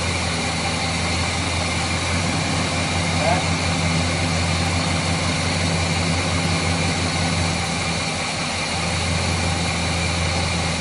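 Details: Chevrolet 350 V8 after repair of a failed valley-side intake manifold gasket that had caused oil consumption, rough idle and hesitation; it now idles smoothly and evenly with a steady low rumble and no stumbles, ticks or vacuum hiss, a normal idle.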